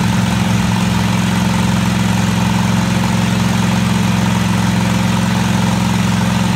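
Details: Craftsman DGT 6000 twin-cylinder engine after reassembly (new fuel line, fuel pump mounted), first run: steady, even thrum at idle with constant low beat, no misses or knocks — normal idle.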